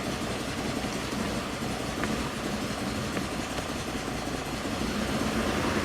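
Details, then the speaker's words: Jeep Liberty 3.7L auction vehicle starts but idles rough, misfiring heavily with a lumpy stumbling beat and one completely dead cylinder; earlier diagnosis found #4 and #6 exhaust valves not opening; misfire monitor not yet learned, cylinder unidentified. "Oh, she runs rough. Come on, little fella. So it does start and run. It is misfiring like crazy."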